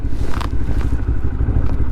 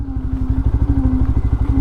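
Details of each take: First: Lexmoto LXR 125 riding at about 1,000 miles, after a modification: an even single-cylinder exhaust drone rises with revs. The earlier rattle echoing through the exhaust is gone, so it runs clean. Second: Lexmoto LXR 125 motorbike at about 1,000 miles, riding: a wavering low drone over the engine's quick pulsing, identified as noise from the rear brake.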